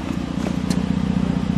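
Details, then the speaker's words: 3.7 Duratec swapped into the project vehicle on an SCT-tuned 87 PCM for a 2011 Ford Edge reading as a 3.5, no codes, heard at the rear exhaust after first start: steady even idle burble with no misses; engine running cleanly. "no misses on the exhaust the cats are working because it fogged the camera up that is smooth folks that is smooth"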